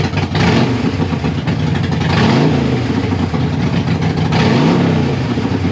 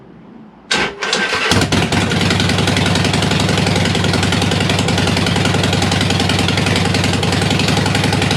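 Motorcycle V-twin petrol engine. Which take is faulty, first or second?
second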